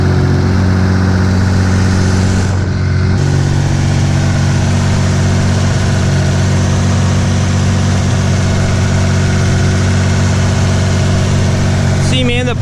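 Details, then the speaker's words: Restored Mitsubishi 3000GT VR4 after fitting the downpipe and plugging in the O2 sensor: steady, fast idle around 1800 rpm, down from above 2000; still idling high, owner suspects something left unplugged. "I mean, it's still idling a little high. Before I plugged the O2 sensor in, it was idling above 2 grand. Now it's at like 1800."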